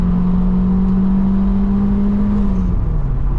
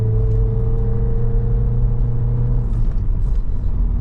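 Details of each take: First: Vauxhall Cavalier Diplomat 2.0i at full throttle after clearing a suspected partially clogged exhaust: a strong, clean rising note pulling to 6,000 rpm with no flat spots. Healthy, after earlier severe power loss. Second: Vauxhall Cavalier Diplomat 2.0i on a 660-mile run, floored: deep drone fades into dull struggling rumble with no pull, losing more rev band before bogging, no engine light; owner first suspected fuel filter.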